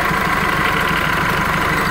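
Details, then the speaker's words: Engine at idle in the workshop: a loud, constant hissing whir from the alternator. The mechanic suspects a worn alternator bearing, unconfirmed, and will advise the customer to have it checked at an auto-electric shop. "esse barulho meio estranho o alternador vamos informar o cliente do alternador com esse ruído deve ser o rolamento"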